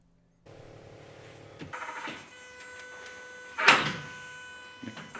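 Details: Austin Mini GT-Four (turbocharged 4WD Project Binky) on its first e-throttle test before first start, using a basic 1:1 pedal-to-throttle table. The cabin is quiet, then a short sharp whir and snap as the throttle blade opens; it responds cleanly.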